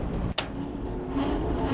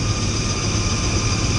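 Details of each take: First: Rooftop belt-driven kitchen exhaust/ventilation fan after greasing the bearings and changing the belt: spins up smoothly, hum rising in pitch then settling to an even run, with the earlier rumbling gone. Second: Rooftop commercial ventilation unit: steady roar of a belt-driven fan with a faint, high, thin squeal on top. Dry fan bearings need grease at the Zerk fitting.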